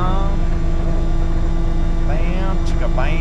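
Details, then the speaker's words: Kenworth K100 cabover diesel after a drop-in fuel filter replacement and a throttle linkage fix: it fired right up and idles to build air pressure with a low, steady, even rumble and no knocks; normal idle. "so yeah that was nice that it fired right up just like that and uh let it run let the air build and stuff like that"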